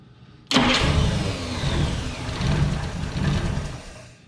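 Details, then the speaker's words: 1947–49 Studebaker with a supposedly recently rebuilt flathead six, sitting 35 years, started on 12 volts with fuel down the carburetor; short starter crank, then soft, even, low idle with no knocks or ticks, quieter than the starter. "I cannot believe how quiet that is. The starter is literally louder than the engine."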